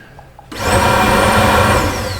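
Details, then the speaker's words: 2008 Buick Lucerne 3.8 with code P0412, during an active test: the secondary air pump whirs at a steady high pitch that never quiets down. It is deadheaded because the AIR solenoid switching valve is not opening. "And typically you'll hear a change in the air pump motor, because right now it's kind of deadheaded. Usually if that valve's opening, you'll hear it, quiet down."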